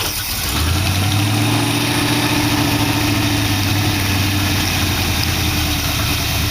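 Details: 1914 vehicle build V8 with dual four-barrel carbs, after cleaning carb passages possibly plugged and making it pour fuel: smooth even idle settling after a blip, no hunting or popping; air screws now affect it, no longer flooding.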